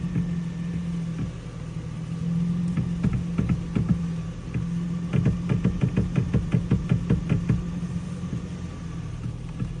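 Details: 2007 Toyota Tacoma V6 idling: bursts of quick sharp clicks from the steering wheel, coming and going as the steering is turned.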